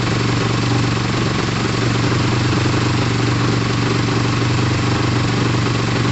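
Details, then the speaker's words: Motorcycle idling steadily with an even, unbroken beat and no knocks or misfires, after a restart (the fuel had been off). Pod filters are fitted, and it is warming up with the radiator fan not yet on. It is running well. "so we're running we're idling we're revving like crazy"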